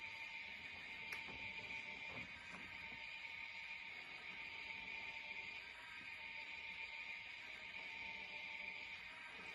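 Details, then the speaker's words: Model beam engine driven by a DC motor through a Chinese-made reduction gearbox, running about half speed: thin, high constant-pitch whine over faint mechanical ticking, coming from the motor's reduction gearbox, not the engine bearings. "the whining noise that you can hear is not the engine bearings or the power Parts at all it's it's the DC motor under reduction gearbox which is doing that"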